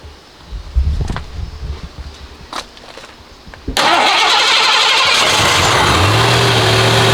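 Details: Lincoln Town Car (OBD1, no code) after idle control valve replacement: engine cranks, catches and settles quickly to a low, even idle around 800 rpm instead of the previous too-high idle near 2000; idle now normal.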